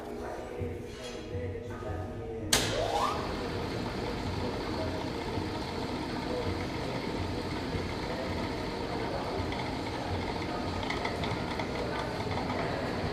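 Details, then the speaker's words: Restored Monarch lathe, first test run at slow speed after repair and cleaning: sharp click at start-up, then a steady, even drone without knocks or rattles; running smoothly, normal. "Everything's looking pretty good, sounds good. Flowing pretty smooth. I think that's a happy machine."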